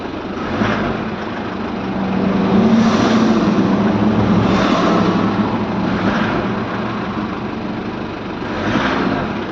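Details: Ford Everest diesel with morning hard starting, after injector testing, reinstallation and a one-crank restart with no check-engine light: an even idle clatter with gentle swells and no misfire; normal idle.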